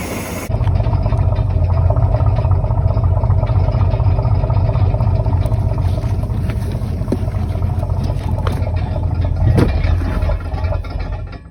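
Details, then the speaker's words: 1967 Chris Craft Roamer yacht, Ford 427 V8, sitting about 11 years, cylinders treated with ATF, small amount of fuel added: steady low rumbling idle for about ten seconds, then sags and quits as it runs out of gas; stalling from fuel starvation. "Must be out of gas. Okay, we put about twice as much fuel in this one as we did the one over there. Seemed to run longer."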